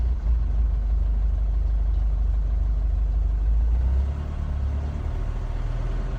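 Diesel idling with an uneven, lumpy beat of roughly three pulses a second and a low rumble, a rough, unsteady idle.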